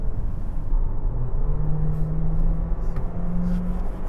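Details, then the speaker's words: 2023 Honda HR-V climbing a steep mountain pass under heavy load: low, steady droning whine over engine rumble, rising in pitch with the climb; attributed to the CVT struggling to find a suitable ratio. "as we're now climbing the mountains i'm hearing a lot of whining you hear that from the cvt it is just having a heck of a time trying to get me into a happy gear space it's whining all over the place"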